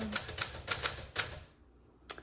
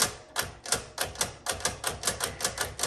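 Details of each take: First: 1961 Smith Corona Sterling 5A series typewriter: five crisp, evenly spaced key strikes in just over a second, then one more, no drag, rattle or double hits; typing action is wonderful, though the return is grindy and noisy. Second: 1961 Smith Corona Sterling typewriter, noisy: sharp metallic clacks about four a second as the carriage jerks along on tab, stopping every couple of places instead of running freely; tabulator not working properly.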